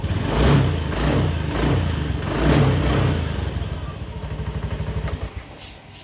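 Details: Honda Beat ESP scooter that stalled suddenly, after the fuse box and relay connections were checked (corrosion suspected): cranks, catches and settles into a steady, even single-cylinder idle; starts and runs normally.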